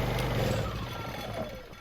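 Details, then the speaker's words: Honda EU2000i inverter generator with fouled fuel system, running from a temporary fuel supply before carburetor rebuild: engine chugs steadily then dies as a 1500 W load is applied; lean carburetor. "and it dies let's get this started one more time"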